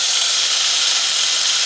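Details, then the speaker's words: Worn-armature angle grinder tested with disc fitted: harsh hissing high-pitched roar and rough growl ("ngorok") with reduced power, before repair of the armature. "suaranya sudah ngorok-ngorok"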